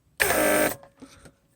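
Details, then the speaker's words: Mercedes W140 central locking (door lock) pump on bench test after motor replacement (old motor had a bad brush); piping closed off, pump cycles on and off; short even whir then clean stop — normal pump operation. "see I can close the pipe piping and pump comes on and off well that's all great"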